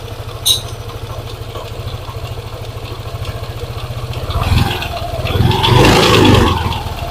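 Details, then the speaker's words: Yamaha NMAX scooter, quiet when cold but ticking when hot: warm idle carries a steady light tick about four per second, louder when revved; worn water pump bearing ticking. "permasalahannya suaranya pada waktu Saat dingin dia tidak bersuara akan tetapi pada waktu suhu sudah panas untuk motor ini terdengar suara seperti ini ya teman-teman"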